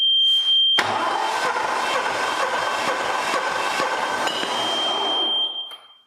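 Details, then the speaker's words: Hatz diesel in a pad foot packer, cranking no-start: spins about two and a half beats a second, never catches; fuel is injecting but no exhaust smoke, almost no exhaust force, valve cover popping up and down; worn cylinder and rings, low compression. "so we are injecting fuel now i'm thinking what we should do is uh there's no smoke coming out of this exhaust pipe and that valve cover was popping up and down pretty good as it ran"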